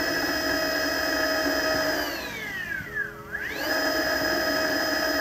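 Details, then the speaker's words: Mototec 48V Pro electric bike with a Fardriver ND72300 controller, chain disconnected so the motor runs unloaded at full then partial throttle: an even whine sweeping down and up with no stutter, so the jutter is not from the motor. "I don't know that sounded pretty smooth to me this is Full Throttle and here it is more or less at partial throttle kind of where I think the jutter actually happens"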